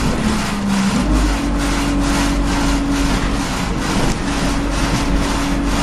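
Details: Arriva 1050 diesel at idle with a loud ticking noise: a sharp, fairly regular tick about twice a second rides over the rumble; cause unknown.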